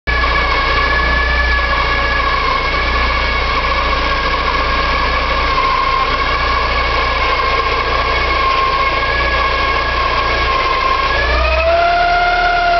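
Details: Porsche 944 2.5 naturally aspirated 8-valve: steady high squeal with grinding over idle, rising in pitch with revs, from engine front; hard to locate, owner suspects oil pump or balance shaft.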